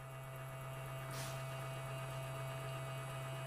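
Steady low hum with a faint whine above it, motor running but strained; voltage loss on the feed side is starving it.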